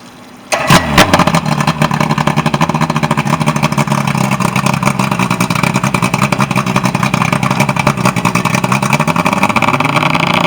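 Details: Evinrude 120 outboard on a Lowe boat, serviced for a no-start issue: catches after a short crank and settles into a firm, even run with steady revs, no misses or knocks; healthy.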